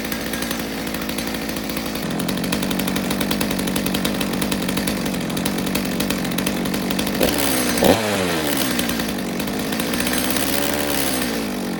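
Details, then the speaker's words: Stihl MS200T two-stroke chainsaw, warm, no chain, after fuel line replacement: steady buzz that stumbles and sags when the trigger is pulled, then recovers. Bogs on throttle; owner suspects the low jet needs carb tuning. "You know, the saw is warm, it doesn't have a chain on it, but it sounds like the low jet might need a little work because it's got a little bit of a bog when I hit the trigger."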